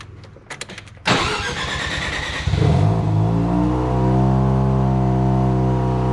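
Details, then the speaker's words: First start of a 13B turbo rotary in an RHD JDM FC3S RX-7; idle air control (BAC) not fully tuned, smoke from anti-seize burning off. Starter whir, engine catches, settles to smooth steady hum, no misses: normal start and rev, running much better. "So anyway, let me fire it up real quick again and show you it's working much better."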